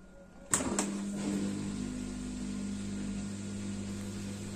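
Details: Dishwasher after replacement of circulation pump motor that was tripping the fuse, drain mode: a click, then smooth even hum with steady low tone, no grinding or rattle; draining normally.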